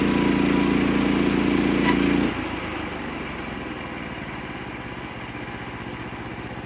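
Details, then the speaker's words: Sawmill engine droning under cutting load, then a sharp crack and the cutting tone drops away as the blade stalls and halts hard; blade struck a nail or rock in the log. "know if you heard that nasty noise, but it sounds like I hit a nail or a rock or something. It come to a halt. It hit hard."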